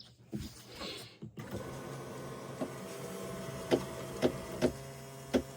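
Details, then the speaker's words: Neglected Yamaha jet ski, battery tested good and charged: single sharp clicks about half a second to a second apart, no cranking. Engine first suspected locked up; it turned out to be a bad starter. "it started clicking. Nothing's moving, so that tells me that most likely the engine's locked up."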